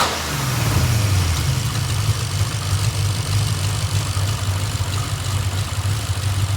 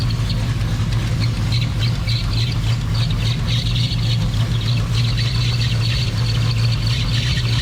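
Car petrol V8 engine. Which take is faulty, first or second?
second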